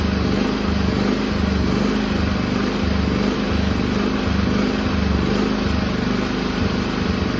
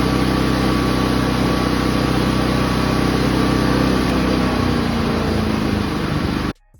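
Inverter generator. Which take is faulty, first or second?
first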